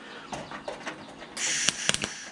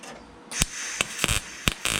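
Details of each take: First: MIG blind tack welding on a Nissan 240SX fender side marker hole: irregular bursts of harsh crackling and popping instead of a smooth sizzle; welder suspects shielding gas was left shut off, and it was. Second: MIG tack welding on a Nissan 240SX fender side marker hole after turning shielding gas back on: short bursts of steady, even crackle with clean stops; stable, good arc.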